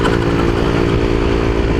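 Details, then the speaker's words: Honda CBR150R single with open pipe, after carburetor cleaning and fuel cock turned from reserve/on: continuous, even rasp under throttle with no stumbling or cutting out; previously died seconds after revving, now runs properly. "kasi ayan oh tuloy-tuloy na yung andar natin oh"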